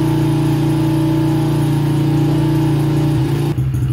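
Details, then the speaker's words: 2006 Honda CRF70F with old fuel, running rough, only running on choke, warming up with choke now off after AMSOIL Quickshot fuel treatment added; small single thumps, uneven, stumbling; rough running when cold. "Alright, so I'm confident the Quickshot's in there already doing its job because it would only run on choke. I've got the choke off, and it's finally cleaning up a little bit."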